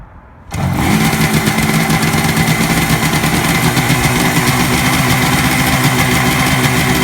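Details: 1967 Kawasaki A1 250 two-stroke, on fuel reserve, freshly tuned, started with a little choke: catches within a second and settles into an even, crisp idle with no knocking or misfire; engine runs healthy.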